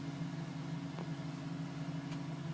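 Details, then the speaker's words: 2010 GMC Sierra V8 with 2,000 miles, warm idle after cold-start tapping stopped at 5 minutes 42 seconds as temperature rose: steady even low hum, no tapping or knock, normal idle; owner had questioned piston slap. "Tapping finally stopped at 5 minutes and 42 seconds. And that's how it should sound. As temperature reaches there, it stops."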